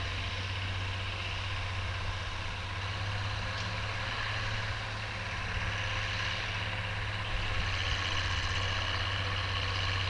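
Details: Oliver 1550 diesel tractor disking with a John Deere BW disk after whatever was in the fuel system cleared out; an even, steady drone with no knocks or misses. Normal, smooth running under load.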